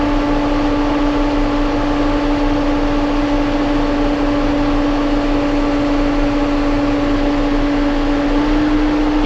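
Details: John Deere 7830 tractor diesel after replacing a seized VGT turbo actuator that caused derating: steady even hum with constant mid-pitched tone, no misses or knocks; judged fixed.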